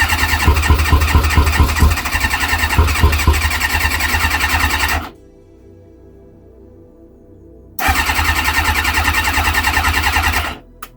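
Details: Kawasaki ZX-6R after 10 years sitting, fuel pump reconnected, on choke. Steady cranking at about three beats a second, a pause, then more cranking with no catch. Owner suspects it is flooded; cause unconfirmed.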